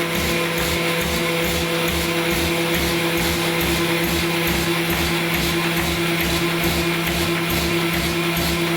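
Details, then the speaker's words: AccuCreaser air-fed register guide running with short sheets (under 250 mm), started by the run button with no separate pump button: steady motor and vacuum hum with an even thump a little over once a second as sheets feed; normal running. "This machine will turn on. There is no pump button. It will turn on immediately as soon as you push the run button, and then feed."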